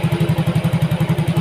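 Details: Yamaha Mio GT scooter idling after injector replacement: it was previously hard-starting and stalling, with the ECU always adding fuel. Now a steady, unbroken putt at 1300 rpm, O2 sensor 0.49 V, idle control 19.0%; smooth idle with good response, no stalling.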